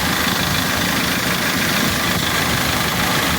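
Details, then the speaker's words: Dodge Caliber idling with A/C compressor running, heard from underneath: steady loud rattling chain clatter; codes P0365 and P0340 pointed to cam sensors, but timing chain, tensioner and guides suspected worn — timing chain noise. "vamos a meternos abajo mejor mire como suena el sonido de cadena eso fuerte"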